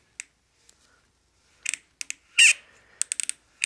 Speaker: all right so that's a good fit if you go to twist it and it sounds like you're crunching snow that's a good fit it's not too tight it's going on and it's seating well